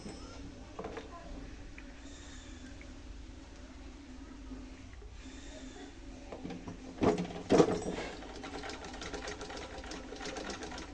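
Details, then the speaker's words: Old rusted antique Singer sewing machine during restoration, feed dog just lowered, new parts fitted: steady rattling chatter about two beats a second; noise source unclear, expected to quiet with use. Noisy running. "শব্দটা কোথা থেকে আসতেছে? আচ্ছা, train দিলে শব্দটা খেয়ে যাবে।"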